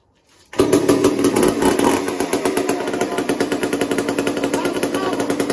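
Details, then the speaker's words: Old McCulloch 1-10 chainsaw, unfired for a long time: sharp rapid popping bursts with uneven spacing and surging pace while being tuned; erratic running. "watch what happens here it's erratic it hasn't been fired for like a long time"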